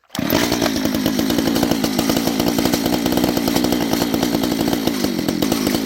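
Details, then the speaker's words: Homelite 240 chainsaw, long unrun and possibly too much oil in the gas, won't run without choke: steady fast, slightly blubbery, uneven note, burning rich; owner also suspects an air leak. "also it might have might be having some air yeah that getting air issues we took the we took the cover off already and it looks like it's burning a little rich"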